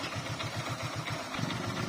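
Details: Hero Glamour engine idling after replacing a piston that had started knocking (tan-tan) despite a new block kit fitted 5 months earlier: even, low putter with steady firing pulses, no metallic tapping; engine sounds healthy.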